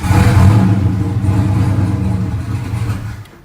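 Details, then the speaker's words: Turbo car with a broken ring land (smokes) and a fuel leak at the regulator: engine catches with a low, uneven rumble, then sags and dies within about three seconds; stalls from lost fuel pressure. "Cut right back off and I got no fuel pressure."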